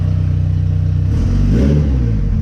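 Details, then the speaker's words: JDM Mitsubishi Evo, being tuned rich: deep, loud exhaust bark climbs cleanly on a quick rev and drops back evenly, no misses or rattles; healthy engine. "you guys see she sounds good it's stupid loud but whatever it's part of the fun isn't it"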